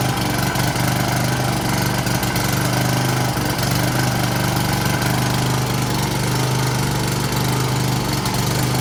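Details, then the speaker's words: Honda-powered Husqvarna self-propelled push mower, single-cylinder, after carburetor cleaning (previously started but wouldn't stay running): loud, steady, even drone with consistent beat, no misses or surging; normal running. "clean carb starts right up so i'm gonna slap the air box back on there start one more time and then it can be put back to work"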